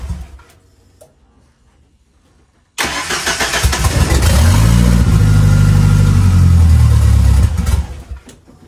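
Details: 2.3L turbo Lima-swapped car on PIMPX engine management, warming up to verify base timing: starter catches at once, engine revs into a deep steady hum and settles; normal start and run.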